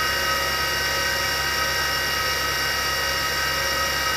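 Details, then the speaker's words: 1960s former military Carter rotary converter on test run: steady high whine with rough gritty whirr; noisy shielded bearings with dried-out mineral grease, likely damaged, need replacement. "although it's possible to rip carefully remove the metal shields and clean out the old grease and repack them but when they are noisy like this they may already have taken some damage so they better be replaced"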